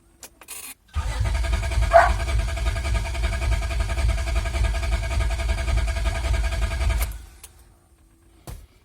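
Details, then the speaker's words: 2003 Honda Accord V6 with freshly swapped engine (previous one had rod knock), cranking with fuel pump fuse pulled to build oil pressure, no start; strong, even cranking about three and a half beats a second, oil light still on; normal cranking. "Crank it a couple of times, the oil light should go off. Sounds pretty strong."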